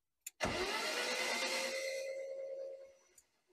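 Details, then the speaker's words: BMW 316i Compact after injection refitted, owner suspects an injection problem: starter whirs about two seconds and fades without catching; cranks but won't fire, cause unconfirmed. "Déjà, je pense que j'ai un problème d'injection."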